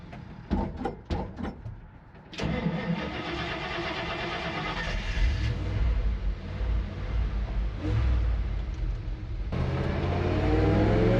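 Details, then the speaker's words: 1968 Dodge D100 Sweptline short bed, 318 V8: cranks briefly, catches and settles into a strong steady run with revs climbing smoothly. Sounds healthy after the crud-filled old gas tank was replaced. "for it's finally running it's a week later but we've got it figured out now all we had to do is uh swap out the gas tank cuz the old gas tank was completely full of crud"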